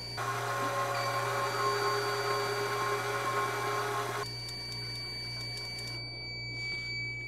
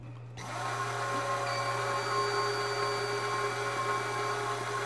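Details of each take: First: 4WD front wheel hub with a new, tight bearing, axle removed and spun by a motor tester: steady drone for four seconds then stops, only grease swishing and a low-battery beep, no bearing whine. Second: 4WD front wheel hub spun by an RC gas-engine starter motor with the axle removed: steady whine from the worn hub bearing, the same sound heard driving at 40 mph; a new tight bearing is compared after.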